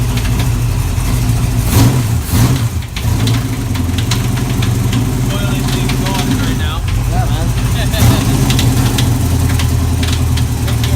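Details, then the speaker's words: Chevy 350 V8 race car at a loud idle: irregular heavy bangs at random intervals, faint at first and worsening. Suspected bullet or foreign object in a combustion chamber slamming against the head; the engine likely has to come apart. "That noise in there is just not good, and it was faint in the beginning, and it's getting worse and worse."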